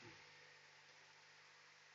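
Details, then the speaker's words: 2010 BMW X5M, warmed-up engine, after repair of alternator not charging and not communicating with the DME: smooth, steady idle with no ticks, knocks or wavering; normal. "all right so as you can probably hear the engine is running i got a lot of warm up really good"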